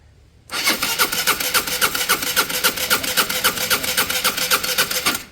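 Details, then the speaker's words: Peugeot Satelis 125cc scooter on fresh fuel, cranking at a steady quick chuff of about four beats a second for five seconds without catching. No fuel is pumping and a lock symbol is lit; the owner suspects the immobiliser. Cranks, won't start. "So the lock sign come back on, but also there's no fuel. No fuel's pumping there."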